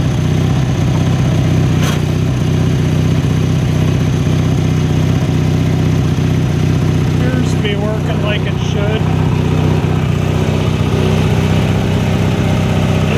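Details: 1983 Craftsman GTV/16 Varidrive garden tractor, 16 hp opposed-twin Briggs & Stratton, after replacing all idler pulleys and drive belts: steady, even low drone with no squeal, chirp or rumble from the drive, running smoothly.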